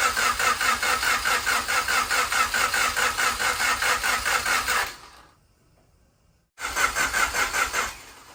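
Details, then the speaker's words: Turbo Honda Accord CB7 before dyno, new distributor, fuel pump and flex fuel sensor: steady starter cranking about two and a half beats per second, pause, more cranking, never fires; ECU had no power due to fuse issue. "I got the fuse situation figured out why the ECU wasn't coming on"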